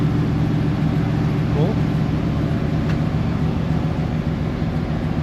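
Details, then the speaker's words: Chevy Suburban 454 V8 after dropping tank and fixing no-fuel-pressure issue that made it die: steady low idle rumble without stumbling or dying; normal idle. "let's see if it stays on that was the issue we were having where it wouldn't stay on I think it's going to stay on"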